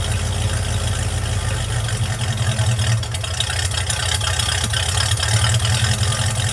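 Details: Project truck warm start after vacuum leak fixed: deep steady idle with even low rumble, no stumbles or hiss; runs smoothly.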